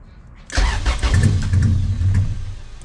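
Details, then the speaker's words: Junkyard car started by ignition switch via gator-clipped fuel pump and main relay, almost no gas, oversized injectors with unknown ECU programming: starts promptly then idles choppy, wavering and lean-sounding before dying; rough running after start. "And it has no gas. And it has giant injectors on it. We don't know what's in the ECU to program those injectors. So, it's really choppy and it sounds really lean and it doesn't help because it has no gas."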